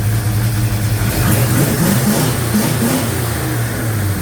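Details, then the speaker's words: 1956 Chevy Bel Air with 307 V8, just restarted warm, idle mixture not yet set: steady V8 idle with even low beat, no valvetrain ticking or knocking; normal idle. ">> I just started it back up. It's snappy."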